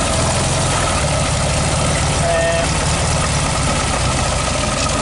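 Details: 1969 VW Beetle, 1500cc air-cooled flat-four, cold after a restart: even, busy idle with a steady beat and fan whir, no misses or knocks. Normal cold idle.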